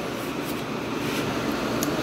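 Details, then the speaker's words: 1986 Kenmore window air conditioner on high cool after a capacitor replacement and an R22 top-up; steady even whooshing hum with a low drone, no rattles, already ice cold; normal window AC running. "and this thing's already ice cold let's see here the temperature in here okay at 73 i was right pretty close"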